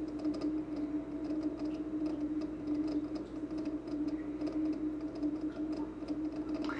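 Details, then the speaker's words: Speidel Braumeister brewing system pump, purged and running at 42 during testing for a suspected pump fault; steady hum with a light quick irregular ticking that seems new, cause unclear. "it's running at 42 if you can hear that there's a bit of a ticking sound I didn't notice this early on my brw day seemed quieter so this tick Sounds new to me"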